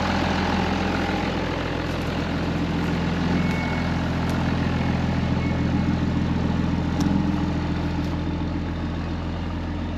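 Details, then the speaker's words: 2005 Ram 2500 diesel idling just after the FASS lift pump and fuel lines were replaced, left running to clear up the engine: a deep, even clatter at about three to four beats a second with no misses. A normal, healthy idle. "some sounds good running pretty even I like it"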